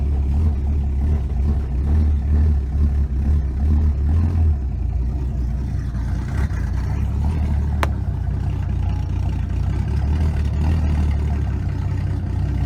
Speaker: yeah let's see what she sounds like now sorry covering up the camera hopefully no exhaust Lake oh it's so much better no ticking